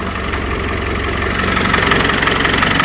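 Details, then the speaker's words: Land Rover Discovery 200tdi diesel after fitting the belts, steering on full lock where it always squealed before: steady idle with rhythmic clatter and a faint power steering pump whirr, no squeal; belts fixed. "Nope, you hear the power steering pump working, but no squealing."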